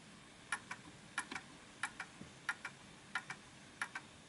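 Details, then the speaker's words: Art deco Enfield Westminster chime mantel clock deliberately pushed off center and out of beat: tick and tock land in close pairs with long gaps, an uneven limp; recentered by pushing it back. "So that's off kilter, you can tell. So I'm going to push it to the right to make it back into the center."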